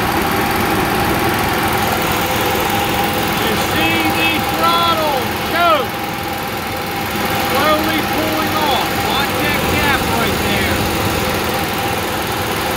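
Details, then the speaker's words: Onan QG 5.5 RV generator, cover off, just cold-started after fuel-pump prime, electric choke heating to open: small engine settles to a steady even hum with no misses or surging; normal running after cold start. "okay so what we're going to do is we're going to watch this choke it's going to heat this element up it already heated up a little bit it's going to pull it off and open it up"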